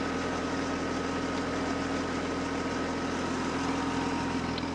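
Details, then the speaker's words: 1948 Ford 8N tractor, fully warmed up after a drive: steady, even idle with the earlier hydraulic howl gone, only a faint chirp from a slightly loose alternator belt; oil pressure just under 40 lb; healthy. "you can hear how she sounds when she's all warmed up"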